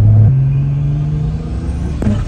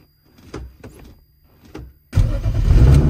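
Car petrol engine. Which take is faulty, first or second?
first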